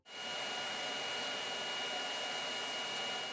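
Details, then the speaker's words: BIQU BX 3D printer sitting idle with Octoprint: three fans running permanently (hot end heatsink fan, mainboard blower, LED-lit front fan) give a steady, loud airy hiss with a faint high whine; constant fan noise at idle, before a quiet fan switch circuit is fitted. "you can hear, there's 3 fans that are going permanently that create a bit of a racket."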